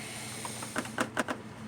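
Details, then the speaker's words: Radiator on a 1992 Lexus ES300 shaken by hand gives short hollow clunks and rattles; it is loose in its mounts from missing bracket bushings, causing the rattling noise heard at speed while driving. "the radiator is loose and I have these brackets right here"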